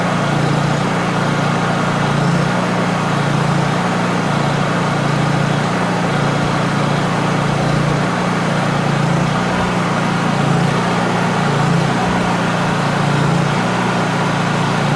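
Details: Honda EU3000is inverter generator, carburetor idle stop misadjusted before being brought back into adjustment, normal (non-economy) mode: steady drone slowly rises and falls every second or two; idle hunting from misadjusted idle stop screw.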